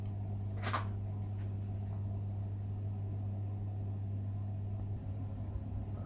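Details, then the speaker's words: Baxi Combi 133 HE Plus boiler after PCB replacement: steady low fan hum, even pitch with light knocks; boiler fired up with no red light, running normally, confirming the fault was the PCB. "hear the fan running so now it's fired up and no red light so it's running as normal and it was the pcb"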